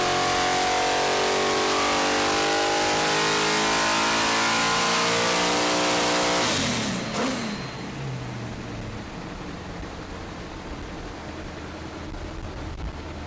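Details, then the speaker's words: Nitrous-fed Holden 355 V8 in HDT VL Calais on hub dyno, first run after fitting better valve springs: screams up to about 7,200 rpm, note goes ragged above about 7,000 with power drop; suspected valve float, like before. "after about seven thousand we are still seeing a drop in power and if you could hear it you could hear a little bit of sort of like last time"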